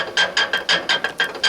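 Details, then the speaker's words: Tractor engine with M&W pistons, oil splashing up from below: crisp metallic clacks, about five a second, as the stopped engine is rocked by hand; worn, loose connecting rod. "that is a bad connecting rod that goes into that M&W piston down there."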